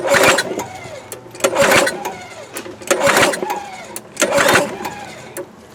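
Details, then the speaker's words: Craftsman 22-inch mulching mower, 6.25 hp, after replacing a rotten fuel line: four pull-start attempts, each a quick whirr that never fires; won't start, owner suspects flooding or a carburetor problem. "But we have that, I guess, and see if she'll fire up. Maybe I flooded it. Maybe it's got more funk in it."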